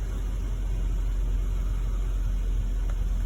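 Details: 2014 Jeep Wrangler 3.6 with intermittent engine shut-off, crankshaft position sensor and cylinder 1/multiple misfire codes (cleared): deep, steady idle rumble with no stumbles, dips or surging; idling smoothly right now.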